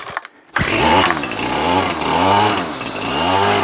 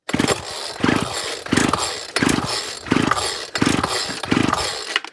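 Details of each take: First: Ryobi Grass Scorpion RCT-2800 two-stroke trimmer after fuel line and primer bulb replacement, still warm, a little throttle on start: fires first pull, revs rise and fall cleanly three times without stumble; normal warm start. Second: Old Ryobi Grass Scorpion RCT-2800 two-stroke trimmer, fresh two-stroke fuel, primed, choke on, cold wintry day: about seven quick rope pulls, short rasping cranks with no catch; won't start, likely fuel side, gummed carb suspected.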